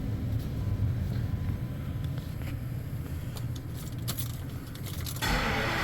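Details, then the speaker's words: Engine restarted after a blown-out spark plug was repaired, coolant low from a leaking oil cooler: a smooth, even low idle rumble with no misfire or ticking; a click and rising blower near the end as the AC compressor kicks on. Sounds good. "The AC compressor just kicked on. So yeah, sounds good."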